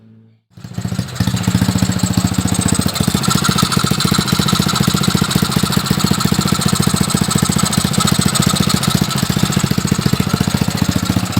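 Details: Small pull-start engine after valve clearance set and a washer added to take up side play: fires after a short pull and holds a steady, even idle with no tapping over the exhaust beat; sounds healthy.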